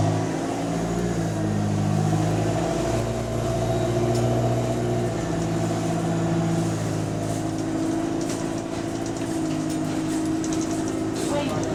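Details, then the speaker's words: GAL SE152 diesel bus on route 386: heavy, coarse, uneven diesel drone at steady revs, far louder than normal, appeared overnight; exhaust leak suspected. "How flipping noisy this thing is, fam. Watch, you'll be shocked, fam. It just happened all overnight."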